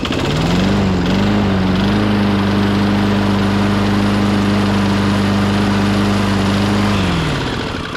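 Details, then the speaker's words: 1998 Ariens 21-inch self-propelled mower (engine VLV60), hot start after repairs including a stronger drive-pulley tension spring. It catches on the first pull, climbs quickly to a steady governed run and holds even until shut off. Normal hot start. "that's more like it first pull"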